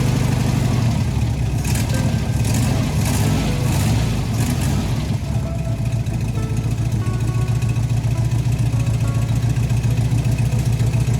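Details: 1971 VW Bus Kombi flat-four with new exhaust, air cleaner and throttle return spring fitted, restarted after stalling on throttle; low even chuffing idle about three and a half pulses a second with a slight lope, idling normally.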